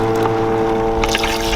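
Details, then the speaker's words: Tankless water heater during a vinegar descaling flush, gas and power off: steady, even motor hum with a smooth low tone and gurgling water as the flush pump circulates vinegar through the heat exchanger; normal pump running. "just plug it in, and you can hear that pump running,"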